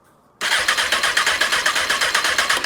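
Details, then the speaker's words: 2003 Honda CBR954RR, wrecked and sat outside 15 years, starter solenoid jumped with no key power: starter spins briskly with even compression pulses about six a second, engine never fires; cranks but no start. "That was a starter going. Cranking the motor. There's There's hope. There's hope. It cranks. It cranks."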